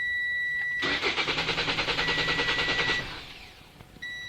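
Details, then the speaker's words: 2017 Toyota C-HR with newly installed SkyBrake immobilizer, tag not recognized (no battery in tag): warning beeps, then about two seconds of steady cranking at roughly three strokes a second that never catches; immobilizer blocks starting. "si le dispositif d'immobilisation ne reconnaît pas étiquette, vous entendrez le son les signaux d'avertissement cette marque ne peut lire, en conséquence de voiture ne doit pas va commencer."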